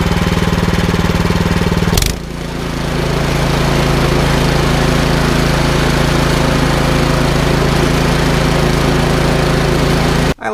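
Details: Troy-Bilt Storm 2410 snowblower with a Powermore engine, after an idle screw adjustment to fix a no-start from stale gas: it catches with a brief stumble, then runs steady and even.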